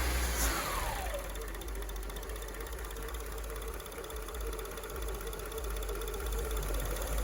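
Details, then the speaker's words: Warm 2002 Acura RSX Type S with K20 engine: hunting idle surge after warm-up stops when the idle air control valve bypass is blocked by a finger. Idle settles low and steady, near 500 rpm, then air is let back in gradually. "Okay, you hear that? No more surging. And I'm just letting my finger off a little bit at a time."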